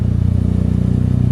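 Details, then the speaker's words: Honda Mugen D-series car with a rough, pulsing low idle, an uneven beat and a faint rasp. A vacuum leak was found at the back side of the engine, with air audibly leaking. "as you can see the idle's all messed up because the vacuum leak where she found where the leak is is on the back side of the engine"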